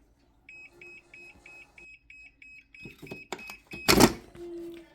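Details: Makita battery charger with a pack over a year old that won't charge, owner suspects unbalanced cells: rapid high-pitched beeping, about five a second, then handling clatter; charger flags a fault and won't charge, cause unconfirmed.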